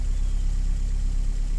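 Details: 2012 Chevy Cruze 1.8 L petrol, low on oil, idling with a smooth steady hum and even pulse, no knocks or misses, after a blown fuse was jumped to cure a click-no-start. Normal idle.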